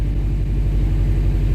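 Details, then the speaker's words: 2012 Subaru WRX at 100,000 miles, after clutch work by shop: clutch pedal pressed at idle, deep even engine rumble with steady pulse, no grinding or whirring; previously much louder, clutch now light; quiet clutch release bearing. "completely silent now I wonder if I have some footage of before but it was much much louder but it's dead silent clean"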